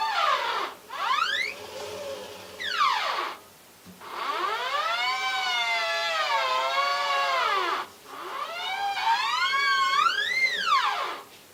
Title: Samsung washing machine squeaking sound